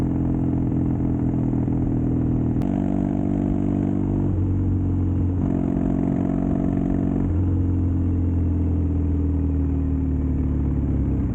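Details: Custom Triumph Bonneville T100 with Down & Out drag pipes, after stage 1 torque kit and stage 4 ECU remap: steady low grumble rising and falling smoothly with throttle, no pops or backfires; normal exhaust note.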